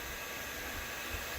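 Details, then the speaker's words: Old electric motor with new 6203/12.7ZZ bearings run at 120 Hz, twice normal speed: ramps up to an even airy whoosh and smooth whir, no shriek or grinding; healthy bearings after replacement. "It's ramping up. Got the acceleration time. Oh, it's starting to whiz now."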